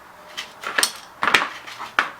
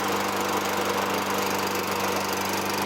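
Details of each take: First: Tecumseh 6.5 fuel tank removed from a 2003 Toro Recycler 20016 mower found in the trash: short gritty rattling bursts as the tank is tipped, loose grains clattering inside; owner thinks kitty litter was put in the tank. Debris in fuel tank. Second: 2003 Toro Recycler 20016 with Tecumseh 6.5 single-cylinder, a trash find, runs after carb cleaning and removing debris from the gas tank. It gives a steady, even drone at constant pitch with no misses or knocks. Slight smoke fades; no oil in the air filter.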